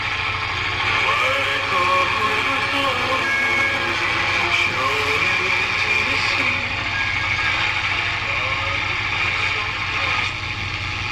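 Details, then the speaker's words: 1946-48 Sparton 6-26 broadcast/shortwave tube radio, first power-up after replacing components and tubes: weak broadcast under steady hiss and faint whistling, interference from a fan and halogen lamps; radio needs alignment. "yeah it's definitely alignment got some interference from our fan that's on and our H hallogen lamps in here so if I was turn the light off that would go away"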